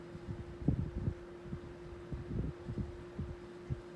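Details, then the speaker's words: 1981 Dayton (Lasko) 16-inch desk fan, model 4C508B, on low speed: steady motor hum with mild whine and a few soft thumps. A very slight cage rattle tends to go away once the motor warms. Normal fan running. "And we'll start it up on low, so you can hear that beautiful motor whine."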